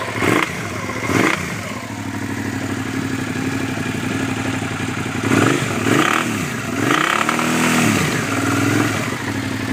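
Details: 2009 Suzuki SV650 Sport V-twin: normal at idle, but revving brings a hard metal-on-metal clatter. The cam chain tensioner was checked and fine; the engine was very low on oil.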